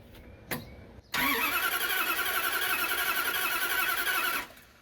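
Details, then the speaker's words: Starter whirs steadily for about three seconds with no firing; no ignition spark while cranking, owner suspects ignition wires wrongly paired after rewiring under the hood. Crank, no start. "all right so I think it has to do with the ignition so when the key is cranking the starter um you should be getting uh ignition spark it is not doing that"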